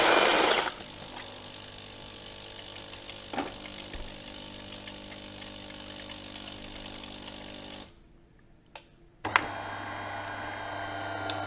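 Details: Delonghi Magnifica Smart ECAM250.23.SB espresso machine during a basic service, grinding beans on the strongest setting for a double espresso: an even, high buzzing grind held for about eight seconds, a short pause, then it resumes; grinder working normally.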